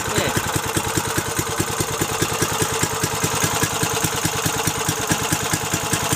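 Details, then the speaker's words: Briggs & Stratton 3.5 HP single-cylinder engine, little used, after carburettor fix; quick, even popping exhaust beat at steady idle, no misses or knocks; runs smoothly. "she runs awesome beautiful"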